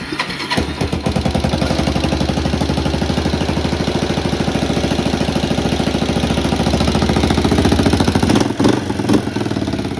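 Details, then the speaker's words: 1986 Kawasaki Bayou 300 ATV, running after its starting problem was traced to the one-way bearing and started on a little choke: idle has been adjusted down to a steady, even, relaxed speed. "Okay, I now adjusted the idle so it's not screaming like a banshee."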